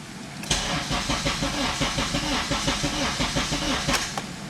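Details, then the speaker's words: Honda Civic Si EP3 with K24A2 swap, first start on K Pro base map, battery weak: starter churns about four beats per second for several seconds, never fires; immobilizer enabled on non-matching ECU blocked start, fixed by unchecking it. "doesn't sound good. Sounds like the battery ain't very strong first off. Yeah. So we have the mobilizer enabled."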